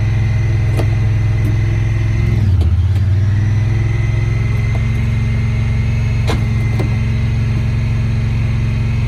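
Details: 2017 Honda Pioneer 1000-5 at 1200 miles, code 9-2, sometimes won't go into gear. Engine holds a fast, steady idle with one brief sag and recovery. Cause was factory over-crimped wires broken inside the insulation at the IACV plug; plug replaced and recrimped.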